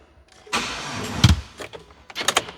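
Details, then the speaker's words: Chevy Silverado 4x4 after engine swap, first start, in park: two short, sluggish cranking bursts that drag and never catch; dead battery, booster pack needed. "The freaking battery's dead. Get the booster packy."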